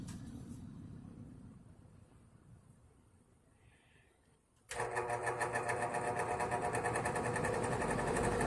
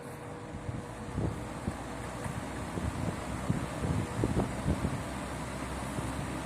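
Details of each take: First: 1960s Wizard reversible box fan, 2-speed motor, running in reverse: hum with rapid fluttering pulse about four times a second; abnormal noise, owner suspects bearing or a wire, unsure. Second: 1960s Wizard reversible box fan with a 2-speed oil-port motor, running on high in a window: a steady, soft airy rush with no knocking or rattle; well-balanced blades, running normally.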